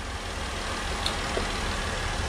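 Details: 2014 Jeep Wrangler JKU 3.6 after alternator replacement and new batteries, voltage rising to about 14 V: steady, even low idle hum with no knocks, ticks or belt squeal; idling smoothly and charging.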